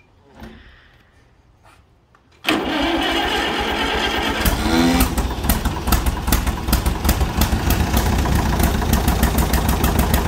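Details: Allis-Chalmers WD45 tractor after sitting at least 15–20 years, freed up and coil changed: starter whirs, then the engine catches and pops into an uneven, irregular idle as throttle is given; runs rough, needs to get breathing.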